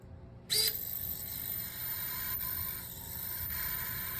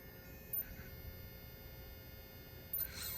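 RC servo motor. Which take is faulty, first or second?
second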